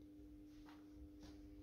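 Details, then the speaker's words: 1980s AEG Minikoffer post-top streetlight on first startup with a 125 W Osram Deluxe mercury vapor bulb, ballast rewired per its printed schema: steady, quiet low hum from the magnetic ballast, which is normal. "let's do the first startup run with the intended mercury vapor bulb 125 watt osram Deluxe will be vapable you can hear the ballast is humming"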